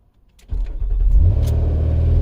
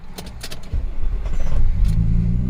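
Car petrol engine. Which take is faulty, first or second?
second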